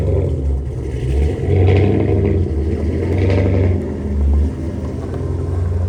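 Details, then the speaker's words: Deep, even V8 rumble swelling smoothly with throttle blips and settling back without knocks on a GMC C30 crew cab squarebody after an LS engine swap with custom-grind cam and 3-inch exhaust; runs healthy, still needing fine tuning. "happy hell that sounds there we go"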